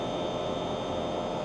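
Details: Inverter heat pump heating on a cold, rainy day: steady rushing fan noise with constant high tone, no knocks or rattles; compressor ramping from 123 Hz, 6.7-7.5 A toward 174 Hz, near full output.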